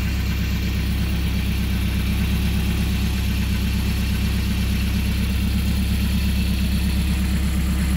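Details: MerCruiser 170 3.7L four-cylinder marine engine idling after rebuild and break-in, about 1.5 hours on it, makeshift wooden muffler; steady even throb, no knocks or ticks, healthy idle.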